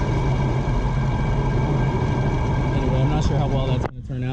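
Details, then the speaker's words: 2008 Honda Accord on jack stands, wheel driven slowly and sped up: steady low droning hum from the left front, worn wheel bearing confirmed when the hub assembly was removed and spun. "speed up a little speed up and the noise is definitely coming from this side here"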